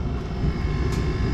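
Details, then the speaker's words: Chinese diesel heater, with mesh in the burner: steady low roar continuing minutes after shutdown, no fan cycling; pooled fuel in chamber still burning after fuel cut off. "I think it's actually still burning but the fuel has shut off quite a long time ago which means that there's a bunch of fuel built up in the chamber"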